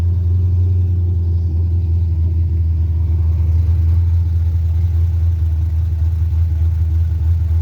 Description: starts and dies/ fast idle/ carburetor 5.3 ls swap mustang